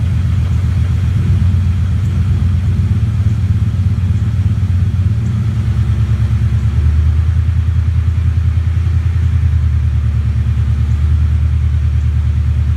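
Deep V8 idle with an uneven, lumpy beat, the rhythm stumbling every few firings instead of running even; misfiring at idle.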